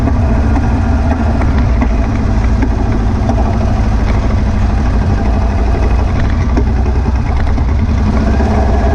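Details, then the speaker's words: Air-cooled VW beach buggy driving under load after new plugs, leads and distributor arm: a loud, rough drone with an uneven, stumbling beat instead of a smooth pull. It misfires and pops under acceleration, caused by a blocked idle jet in one of the carburettors. "as you can hear from it running it's misfiring still I think it now maybe over fueling I don't know"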